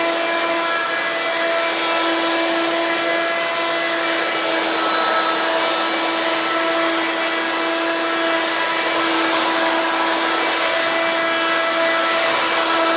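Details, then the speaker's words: Hoover Quik Broom II S2141 stick vacuum damaged in shipping; very loud steady high whine with hissing air rush, no speed change, unbearably loud; owner unsure if the shipping hit unbalanced the motor or broke the fan. "I normally don't like to use it that much because this is stupidly loud to the point it is unbearable to use"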